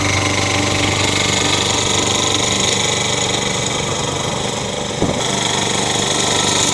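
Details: Toro engine swapped onto a Craftsman mower. Busy small-engine clatter carries a faint irregular tapping at about two to three per second. The owner suspects it is just starting to knock.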